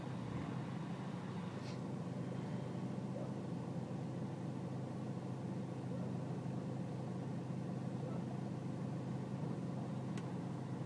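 Low, steady diesel idle rumble with an uneven, lumpy undertone and no speed change; a rough idle with the cause not yet found.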